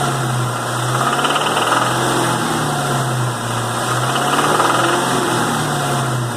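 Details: 2001 Mustang Cobra 4.6 4V V8 at 78,600 miles, running at light load with a faint, uneven knocking rattle over a steady low drone: engine knock under light load.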